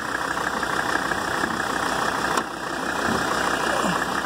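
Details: 1983 Mercedes 300D diesel, warm after a drive, oil pressure good, at idle: usual even clatter and steady tone, no uneven knocks or misses; healthy idle.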